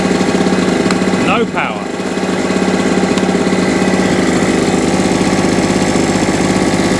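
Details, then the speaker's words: Salvaged small two-stroke generator, after new NGK spark plug and carburetor clean: steady drone after a brief dip near the start, then even with no misfires; normal running. "But yeah, I think also a bit of a clean in there, a bit of contact cleaner in there. But new plug, carburetor clean, and away she went."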